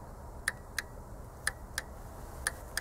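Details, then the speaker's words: Bosch common-rail CP pump system on a 2.0 diesel, bench pulse test of the rail pressure control valve at 30% duty cycle: crisp paired clicks about once a second in step with the pulses, solenoid switching properly. "to jest 30% wypełnienie impulsu No i oczywiście tak jak słyszycie raz na sekundę pęknięcie"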